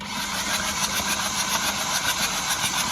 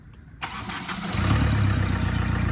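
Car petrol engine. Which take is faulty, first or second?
first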